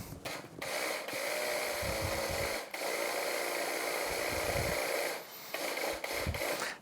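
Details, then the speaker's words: 2004 Yamaha F225 outboard during powerhead rebuild, low-pressure fuel pump bench-tested on battery power while on bracket: coarse uneven whir with dropouts; sounds wrong compared with a new pump, replaced. "Tell you what, just for fun we're gonna open up a new one and take a listen to it because uh that doesn't sound right to me."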